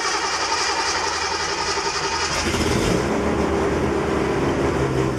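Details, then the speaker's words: Datsun 240Z cold start after sitting a couple of weeks at about 80°F and humid; it catches after a couple of seconds and settles to an even, slightly fast choke idle, with oil pressure present. "and just for the hell of it won't go ahead and do a cold start I cannot remember the last time I started this girl it's been a couple weeks"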